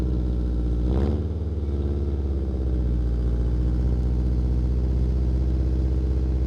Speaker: the bottom of it is there's a huge hole and it's what's causing the open header noise or sound open header sound and I really dislike that